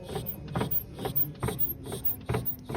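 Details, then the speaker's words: BMW 5 Series E60 525 with N52 engine: dry creak-click repeating about twice a second while turning the steering wheel, clearly coming from the steering shaft/rack area; mounts first suspected, cause not yet found. "Но что-то со стороны рулевого вала рейки откуда-то вот чётко отсюда идёт звук"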